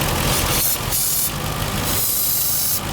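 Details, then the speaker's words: Engine running lean (short-term fuel trims +25 on both banks at idle and higher rpm): idling while sprayed, bursts of hissing at the intake manifold gasket, confirming a vacuum leak there. "It's coming right from this intake gasket back here for sure. It is hissing out there."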